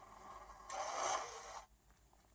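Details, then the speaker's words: Racal 543 (TUAAM) automatic antenna tuner for Clansman PRC 351/352 VHF, into a dummy load; about a second of quick smooth whirring then a small click; normal fast tuning cycle. "you can change the frequency so let him do a little longer word and you can you will be able to hear that so we are dealing then we are done"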